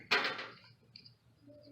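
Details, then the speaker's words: Whirlpool/Kenmore electric dryer that won't start with door closed: door switch tested with multimeter, one sharp crisp click with faint second tick, resistance drops from infinite to zero, so the switch is working properly. "click click and when the click is done you can see the resistance there in the multimeter it's really zero so let's say it's full it's working properly"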